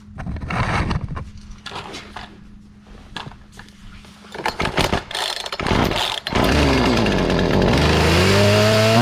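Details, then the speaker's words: Free Poulan 2450 chainsaw, 2.3 cu in, 18" bar, reassembled after sitting two weeks, with new hardware installed. A few pull-start tugs, then it catches and holds a steady buzzing run with clean rev swings. Brought back to life; normal running. "oh well i think it worked that was worth it brought it back to life"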